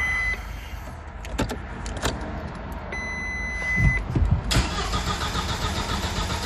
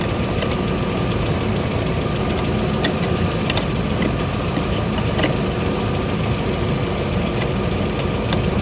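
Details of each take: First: 1999 VW Passat 1.8T petrol wagon that cranks but won't start: starter churns steadily with beeps between, never catches; a scanner fault points to the main relay cutting power. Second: 1999 VW Passat 1.8T petrol estate after re-soldering the main relay: steady, even idle with light regular tick-over, no misses or stumbles; no-start fixed.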